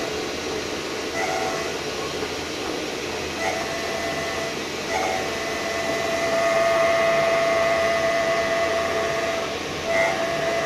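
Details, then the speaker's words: VW Touareg prop shaft half with center bearing, removed and spun up in a lathe while twisted: sharp steady high-pitched scream rises over the spinning noise; failing center bearing, likely the source of the car's bad noise. "and then we try to spin it up in speed and try to twist it a little bit and see what happens and as you can hear the the sound is coming so I think I have found my my [Music] problem"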